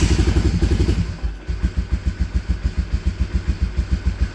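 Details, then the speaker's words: Honda Fortrax 300 ATV that previously wouldn't start, after stopping a leak, started on choke then choke off: catches and settles into a slightly lumpy thump about two beats a second, running on its own; healthy start. "No choke. That's pretty good already."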